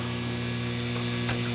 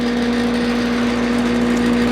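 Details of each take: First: AC contactor whose coil is energized with 24 V: 248 V comes in but 0 V goes out, and the fan won't turn. A steady low buzz from the contactor; the coil pulls in but the contacts pass no power, so the contactor is faulty. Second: AC outdoor unit after a bad contactor was replaced and the thermostat switched on. The condenser fan gives an even motor drone with a constant low hum, then winds down smoothly; it runs normally.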